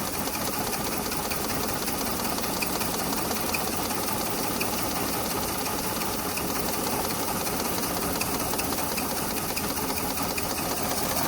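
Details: Maruti 800 with AC: small petrol engine running steadily with a fast busy clatter and slightly uneven beat from an engine misfire.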